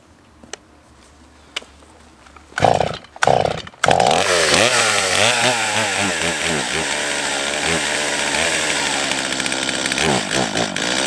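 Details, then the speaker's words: Old Stihl chainsaw on fuel of unknown age: catches after a few pulls but revs waver and sag instead of holding clean. Owner suspects adjustment or a worn carb; later put down to a likely dirty fuel system. "you can clearly hear that this saw is just not getting it now there are a few reasons for this it could just be that the saw is out of adjustment"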